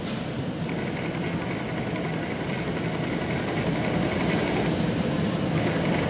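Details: Bias cutting machine tested after its spring was adjusted to stop the fabric catching and uneven cuts: steady, even whir with light regular chatter and no hesitation or catching. Running normally.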